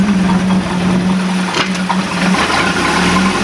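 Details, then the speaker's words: 3.7L MerCruiser with points and condenser ignition, running in gear (forward): steady low droning whine over the engine, idle otherwise good; owner suspects gimbal bearing going out. "Hear that gimbal bearing, complaining."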